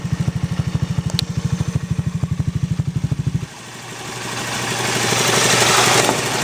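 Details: Honda Zoomer X scooter: steady idle with an even engine ticking about three times a second, then the engine revs and the tick gets buried in the rising note. Engine ticking at idle.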